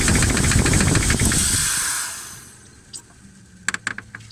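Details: Jeep 4.7 V8 after replacing the valve stem seals, with the hydraulic lifters and rockers not marked and mixed up: a steady light tick about four a second over the idle until shutdown. The owner suspects the mix-up is the cause. Valvetrain ticking.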